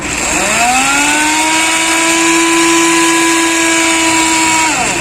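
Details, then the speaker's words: Hero Splendor Plus, ignition on, neutral light lit, self-start pressed: starter motor whines up and spins down with no cranking beats. Suspected flywheel not turning. Not the usual one-way clutch failure, whose sound differs. Starter spins without cranking engine. "इसका जो self motor तो घूम रही है, लेकिन जो इसका fly wheel है शायद वो नहीं घूम रहा।"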